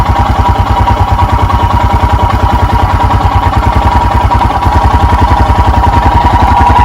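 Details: 2021 EFI Royal Enfield Himalayan single, cold, with choke/idle lever: even thump at a raised idle of about 1200 rpm, beat creeping slightly quicker and louder as it warms; normal cold fast idle.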